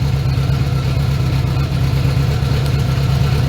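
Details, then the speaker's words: Smooth idle on a 1980 Honda GL1100 Goldwing four-cylinder on a cold day (about 3°C), during carb sync after carbs were cleaned and overhauled: even, steady idle with regular low pulse, no misses, carbs now close to balanced. "They actually getting pretty close. And you can even hear that the motor is running a little bit more smoothly"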